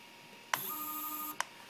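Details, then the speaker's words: Stepper motor on the X port of a TB6560 3-axis driver board (Professional Edition), jogged from Mach3 and recorded by phone. A click, a steady high whine for about a second while it turns, then another click: a normal jog. "so on theory if I push the x button either of them this should be rotate and the Y respectively this rotate and Z this rotate"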